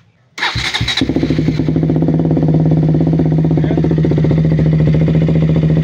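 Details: 2016 KTM Duke 200 after replacing the fuel pump hose that caused no-start and power loss: a short starter whirr, then it catches at once into a firm, steady single-cylinder idle, with fuel pressure holding 40 psi. Normal start and idle.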